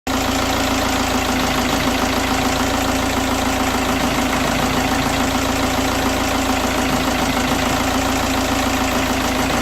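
Cold diesel idling unevenly, the beat lumpy and irregular rather than a steady clatter, so it's running rough while cold.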